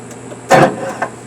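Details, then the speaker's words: 2008 Yamaha motor, about 500–600 hours: key turned gives a single sharp click and no crank; the starter relay is suspected, with hard starting worsening beforehand. Starter click, no crank. "What y'all just heard was the infamous uh starter click. Uh some people call it the Yamaha click. I don't know. It must be a thing with these motors."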